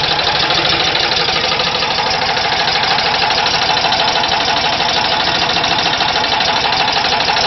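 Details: VW Type 4 air-cooled engine at idle: busy rattling tick about three a second over a loud idle; engine knock, source unclear.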